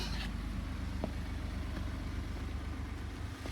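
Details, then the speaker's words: 2012 Ford F-150 STX SuperCab 4x4, one owner, well maintained, new Ford factory timing chain kit: smooth, even low idle with steady pulse, no ticking or chain rattle; just purrs. "okay here she goes just purrs"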